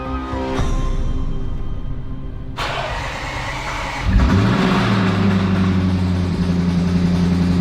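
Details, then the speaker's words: 2021 Range Rover SVR, first start after a replacement engine was installed: long crank, then it catches with a deep, heavy knock under a rough idle; shut down at once, bottom-end trouble suspected if there is no oil pressure, not confirmed. "Desliga, desliga, desliga. Isso não parece saudável. Que que foi isso? Parecia, parecia um som grave, não é?"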